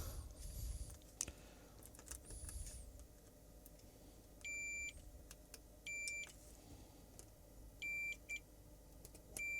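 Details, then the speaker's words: Samsung 55-inch TV backlight strip connections: four short clean high continuity beeps over quiet room noise, every connection now good; backlights still do not come on. "Every single one of these connections is now good."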